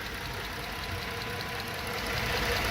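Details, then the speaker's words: High-mileage (about 200,000–220,000 miles) Dodge Charger V6 idling roughly with an uneven stumble, a clear misfire, plus a small ticking noise. Codes present; another shop had fitted new aftermarket O2 sensors. "now I can feel the misfire oh it's missing bad too guys this is a quiet as it is"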